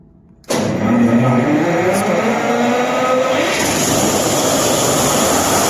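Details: Gen set engine after starter motor repair (rotor had been rubbing the starter body, overheating it and cranking only 80-85 rpm): silence, then catches at once and settles steady, no starter grind; normal start.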